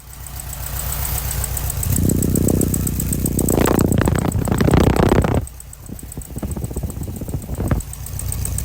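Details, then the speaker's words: Restored 1969 Volkswagen Beetle, 4-speed manual, air-cooled flat-four boxer, recorded close to the twin pea-shooter exhaust pipes: even throaty putter rising with a couple of blips then settling; healthy normal idle. "All right, sounds pretty good at idle. That inimitable flat 4 boxer air-cooled sound."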